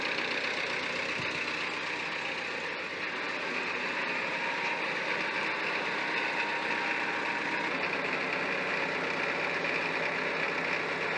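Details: David Brown 990 diesel tractor idling out of gear after Group 3 hydraulic adjustments: steady, even diesel clatter with no misses or heavy knocks, running normally while hydraulics bleed.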